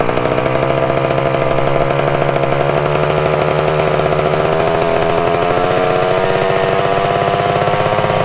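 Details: 1974 Honda MT250 Elsinore two-stroke at first startup after fitting the correct ignition coil: screams at constant high pitch with no drop in revs. The throttle was stuck, and it kept running even with the spark plug boot pulled off.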